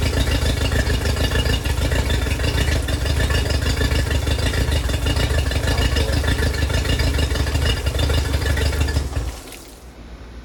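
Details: Yamaha 50HP (T50) outboard: lumpy, limping idle about three beats a second before cutting out. A leakdown later leaks into the water jacket; owner suspects corrosion near the oil sump.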